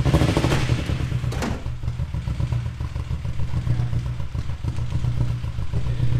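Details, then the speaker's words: VW GTI engine due for R32 3.2 swap, also misfiring; rough running with heavy steady knocking clatter over deep exhaust note; cause unknown, owners suspect a stuck lifter or valve and possibly a bearing. "now you might think to yourself that sounds awesome it sounds like a major camp but no it's also knocking horribly bad and we don't know why"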